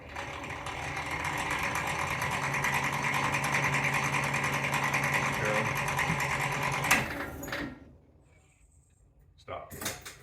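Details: 2020 Tracker EV-series: rapid, steady mechanical clicking from the front drivetrain when pressing the gas in forward and reverse, stopping when released; wheels spin at different speeds.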